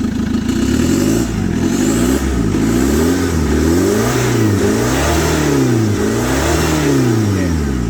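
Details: Chevrolet Captiva diesel after total cleaning of turbo and fuel lines, exhaust removed so loud: clean rev blips rising and falling smoothly with no knock or miss.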